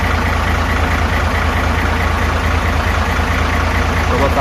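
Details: Hino FG8J truck, J08E six-cylinder diesel, 600,000 km and never valve-adjusted, recorded at the front of the engine. Intake clearance up to 0.50 mm and exhaust up to 0.60 mm, over standard. Steady light ticking about twice a second over the idle rumble. Excessive valve clearance.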